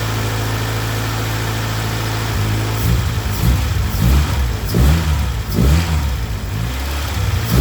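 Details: Integra starting after head gasket repair and machined head: steady even idle, then clean rev blips rising and settling smoothly; normal idle and rev.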